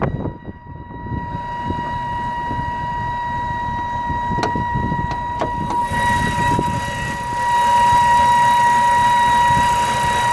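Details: 2011 BMW 328i E90 running: loud steady high-pitched siren-like wail over the engine, swelling louder; owner reports the engine tries to bog when it happens, especially with AC or on long highway trips; cause unknown.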